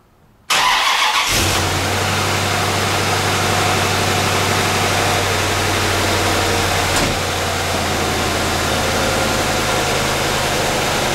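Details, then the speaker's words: C4 Corvette LT1 V8 after intake manifold gasket replacement, fuel pump primed: short crank, catches at once and settles into a steady, even idle with no misses; normal start and idle. "it beautiful fired right up"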